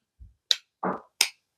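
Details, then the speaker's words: Two torque wrenches coupled end to end, both set to 20 ft-lb, microphone right by them, even inward pressure applied; two separate sharp clicks about 0.7 s apart instead of one, so one wrench, likely the cheap one, is out of calibration. "NOP they didn't there's one and two so I'm giving it even pressure Inward and no one is a little bit off"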